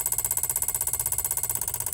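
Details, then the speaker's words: Van EVAP purge solenoid under a scan-tool commanded duty test from 0–100% in 10% steps: sharp, even clicks about thirteen per second that stop at 100%. "Alright, we'll swap this out and see if the new one makes the same kind of noise. Well, new one's in there. Maybe it's slightly quieter, but it still does the same clicking"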